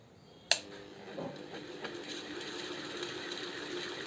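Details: Ceiling fan opened up and running at low speed: after a switch click, a faint repeating scratching over a soft motor whir. It comes from an internal rub, not necessarily worn bearings.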